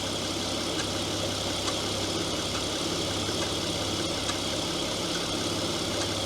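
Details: Opel Omega B V6 at first start after new valve cover gaskets, valve covers, coolant valve, ignition coil, plugs and wires: steady idle with a faint tick that follows engine speed; owner suspects exhaust manifold gaskets rather than the valve covers.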